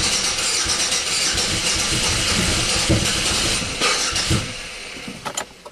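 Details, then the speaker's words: 1997 Buick Century 3.1 V6 (3100) that started misfiring, with plugs, wires, coils and ICM replaced, now barely starts: it catches at wide open throttle, roars unevenly, stumbles and dies within seconds, barely running. Rough running. "alright so the car actually started wide open throttle it barely ran I mean it's really really not happy"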